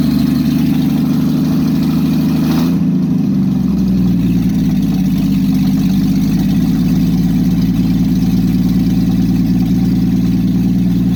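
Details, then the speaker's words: Engine just fitted with an aftermarket monojet carburetor, unrun for about 3 weeks, exhaust removed: catches and settles into a loud, raw, steady unmuffled drone with deep rumble. "Hey, sorry about that. I forgot to mention I had the exhaust off, so let's start it again."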